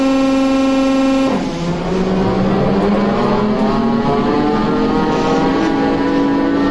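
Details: TEP70 0237 V16 locomotive diesel after repair, starting once the oil-empty governor filled: steady whine drops away as it catches and settles into an even, deep, rising run; normal running.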